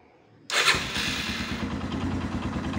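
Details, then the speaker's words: Used Scorpio Z big single-cylinder motorcycle, electric start during a pre-purchase engine check: a quick starter whir, then it catches first press, showing a healthy battery, and settles into a steady idle pulse with a normal slightly rough "glek" beat. "itu ciri-cirinya aki masih sehat teman-teman. Itu sekali starter langsung. Nah ini suara mesinnya Scorpio."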